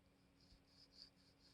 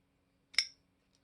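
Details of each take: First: Folding knife, brand new and oiled with Tri-Flow graphite lubricant; blade swinging gives a faint dry scratchy rub with small clicks, still gritty pivot friction. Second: Ganzo FH51 folding knife, compared with an AliExpress Benchmade Bugout copy; one crisp metallic snap as the blade flicks open, then faint light clicks, opening perfectly smooth every time.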